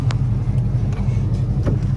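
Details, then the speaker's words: Ram Daytona V8 truck running after misfire repair and EGR valve replacement; deep, steady rumble with an even beat and no stumbles or skips: normal running. "all right guys so she's fixed she's a little dirty but that's okay yeah guys [Music] it's already working good"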